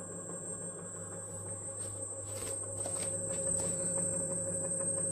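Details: Xiaomi M365 electric scooter hub motor, about 1000 km, owner had heard a knock he linked to a bearing and serviced the bearings: quiet steady hum with a faint high whine, no grinding or clicking, sounding smooth and healthy.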